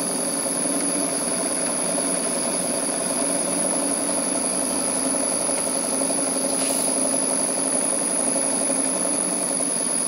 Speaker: these are very small engines so the drain coocks are not essential the knocking soon stops and the engine runs smoothly